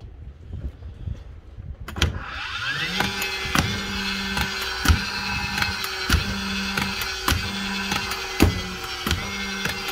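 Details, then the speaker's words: DeWalt nailer: motor spins up, then each trigger pull gives a sharp click about once a second with no firing; worn return springs, with the pin or axis generally worn. "click click click so that's just a normal click click click you'll hear it all the time if you're used to dealt guns that's either the pin or the axis worn out generally that's what it is"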